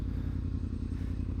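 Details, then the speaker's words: Yamaha R1 after replacing all four ignition coils, fully charging the battery, topping up coolant and checking the oil: smooth, even low rumble with no misses, a healthy hot idle holding steady at 1300–1500 rpm at 92 degrees. "as you can probably hear she's iding a little bit more higher I suppose you could call it she's iding at a consistent 13 to 1500 RPM"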